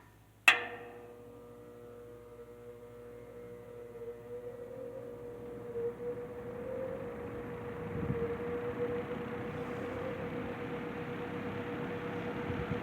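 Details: C&H Whizzer 20-inch box fan after replacing its troublesome GE two-speed motor with one from another fan, started on low: switch click, smooth low hum and growing air rush as blades spin up; normal startup.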